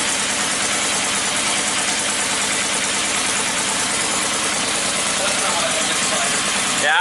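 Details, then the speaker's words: Engine sounds excessively loud at the back on first start: steady, loud, hissy roar, no clear knock. It calmed down after running a while, expected to improve with heat and cool cycles. "It just seems really loud back here, you know what I mean?"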